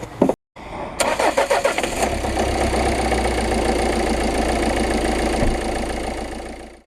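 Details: Peugeot Partner diesel van after idler pulley replacement (tensioner had no play; slight noise previously from alternator belt area): cranks briefly, catches and settles into a steady, even idle with no squeal or chirp from the belts; normal start and idle.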